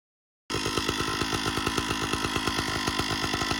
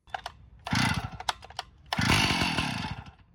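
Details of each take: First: Stihl 056 AV Super chainsaw with a strange noise the owner thought was internal; spark plug finger-tight and running on choke. The engine buzzes at a steady fast speed with only a faint plasticky rattle, believed to be from the starter or recoil side, so it runs normally. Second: Stihl 056 AV Super chainsaw revved in two bursts: harsh buzzy rattle on the exhaust note; strange noise, owner suspects an internal engine cause.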